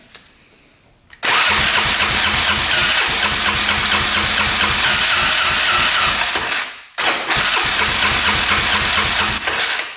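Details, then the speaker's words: 1997 Polaris Magnum 425 6x6 ATV cranking on the starter for a repeat compression test after valve adjustment: even pulses about two per second, brief pause, still around 190, good compression; a bent valve had been suspected. "yeah right around the same wow okay we have compression did not think that was going to happen"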